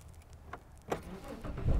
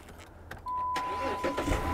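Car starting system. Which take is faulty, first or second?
first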